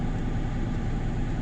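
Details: 1999 Ford F150 idling smoothly, low steady rumble with even beat and no miss, after Blue Devil head gasket sealer for suspected head gasket leak (coolant on oil cap, earlier misfires); smoke gone and check engine light went out.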